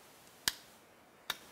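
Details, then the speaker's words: Motorcycle/ATV/UTV starter relay bench-tested with a battery across the coil: two crisp single clicks about a second apart; coil pulls the contactor in properly, though contacts could still be corroded or burned. "what we're gonna listen for is just a simple click and that is going to be the coal energizing and pulling the contactor up and basically connecting these two points together"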